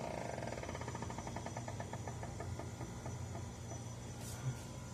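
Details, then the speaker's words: Electrolux refrigerator making a fan-like noise, sometimes very loud, that stops when the door is opened. Low steady hum under a rhythmic whirring flutter whose beat slows over a few seconds: refrigerator fan noise. "Electrolux fazendo um barulho estranho. Como se fosse um ventilador. E quando abre essa porta aqui, né, para."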